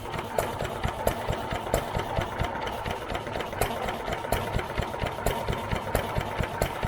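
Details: New Idea Vari Speed engine, just restored and started after choking, idling unloaded with the mic near the valve: a crisp, even valve click a bit over twice a second over soft chugging exhaust. Runs healthy; mixture still being tuned.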